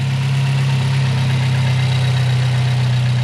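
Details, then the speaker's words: Car with BC stage 2 plus cams and a newly installed Fab9 Elite intake, just after an easy startup: steady, even low rumble with no knocks or ticks. Healthy, quiet idle. "Start it up, Freddie. Easy startup."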